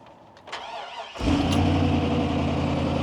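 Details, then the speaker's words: Chevy Silverado V8 after fuel pump module replacement via bed lift, pump heard priming with no leaks: short crank, catches cleanly into steady even idle without stumble; normal start and idle. "All right, that is a good sign, my friends."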